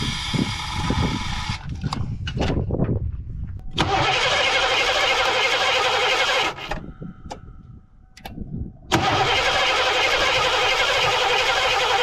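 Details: 1987 Ford Mustang GT convertible that sat 25 years in the Florida sun, with fuel pump not heard running. Repeated starter cranking with a brief stumble where it almost fires but never runs: crank no start; owner thinks he flooded it.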